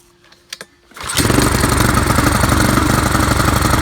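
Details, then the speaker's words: Craftsman 536.773500 weed trimmer with a swapped-in Honda engine taken from a pressure washer, just started with choke and maybe starting fluid: it runs with an uneven, lumpy beat, not as well as it should. The owner suspects the carb needs cleaning. "It's not running as well as it should, but at least it's running."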